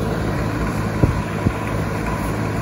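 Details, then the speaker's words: 2004 Goodman outdoor heat pump unit, 17+ years old, shut off by the customer after a loud squeal; fan blade spins freely and isn't hitting anything. Now a steady low hum with faint cabinet rattles and no squeal. "much noise besides a little bit of goodman rattle there rattling around you guys can figure that out"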